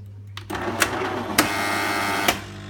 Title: Jura Impressa S70 - lautes Geräusch